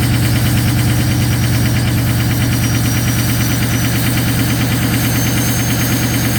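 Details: Ford 6.0 Powerstroke diesel at -2°F cold high idle: loud, lumpy uneven knocking pulse about three beats a second, missing; fuel partly gelled by the cold, cleared with anti-gel additive and a tank top-up.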